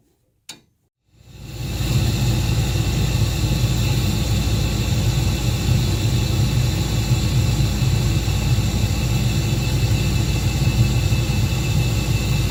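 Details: Old Carrier 58SSB natural gas furnace inducer motor, whose vibration noise was traced to worn motor mounting grommets (KA56GR540) while the motor and wheel were fine: steady, even low hum and smooth fan rush, no rattle or buzz; normal running.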